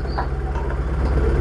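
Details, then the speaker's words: Proton Wira losing power when driven fast or after 5 minutes once warm: uneven stumbling idle with beats dropping out; rough misfiring idle, ignition suspected, later found a leaking ignition coil. "Bila kita bawa laju ataupun bawa dalam 5 minit, enjin dah panas, dia macam jing semput eh."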